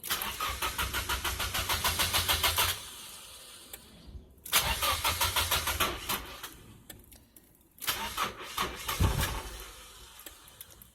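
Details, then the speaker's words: 1995 Nissan 240SX S14, straight-piped, emissions deleted, engine rebuilt 2016, sat over a year: cranks, catches, sputters and dies with misfiring; new distributor, plugs, wires, battery, fuel filter and pump, timing checked; cause unknown. "Does anybody know why it's doing that? Let me know. Got a new distributor."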